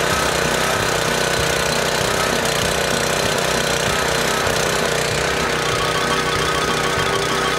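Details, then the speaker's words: Small single-cylinder engine left outdoors three months, buried under snow, on 14–15-month-old 87 octane pump fuel, no additive, about half a tank; steady even chugging, no misses or knocks; runs fine despite old fuel. "this thing was under snow it was completely buried in snow fire right up i bet and again this just has regular 87 octane pump fuel that's 14 15 months old now"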